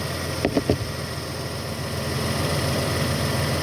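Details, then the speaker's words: 1997 Toyota Avalon after power steering work, new fluid, system bleeding and new belts: a few brief clicks, then a calm, even idle with no whine or squeal from the power steering pump or belts, quiet and healthy. "let me mention that there is no noises at all from the power steering pump. Everything is nice and quiet."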